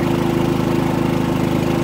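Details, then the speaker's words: Harbor Freight Predator 3500 W generator, about 25 hours, fresh oil and new plug, as the fifth wheel's 15K air conditioner compressor kicks in at 1634 W, 12.2 A: steady, even drone with a constant low hum, no surging or misses; carries the load smoothly. "sixteen hundred and thirty-four watts 12.2 ants all right now it's running my 15 K air conditioner unit"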